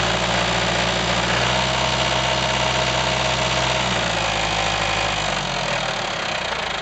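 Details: IHC 554 tractor diesel, about 30 hours after an engine overhaul: loud running with a rapid, fairly regular knock about four per second from the crankshaft area; the balancer gears are missing teeth, not the pump.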